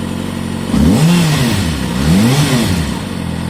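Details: Kawasaki Ninja ZX-6R inline-four, very low mileage, new TÜV inspection, recorded for sale: idle then two crisp rev blips rising and falling cleanly, no knocks or rattles; normal running.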